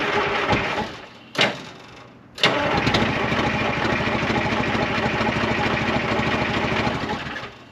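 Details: 1975 International Loadstar 1850 after blower repair, idle setting unknown: two short cranking bursts, then it catches and chugs unevenly for about five seconds before dying. Hard to start, won't run steadily; owner thinks it needs more oil and will check fuel filters.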